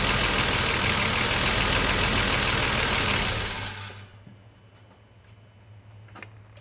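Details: BMW 635CSi E24 at normal operating temperature, unused for two months, stranded: loud, rough, labouring run for three seconds sagging into a faint uneven hum; hard warm restart, owner suspects fuel starvation or fuel pump, unconfirmed.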